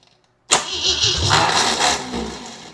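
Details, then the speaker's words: Jeep CJ7 with carburetor: engine cranks, catches with a sharp burst, runs roughly about a second, then dies, every time; fuel delivery suspected, owner checking the fuel bowl vent. "Yeah. Kick out every time."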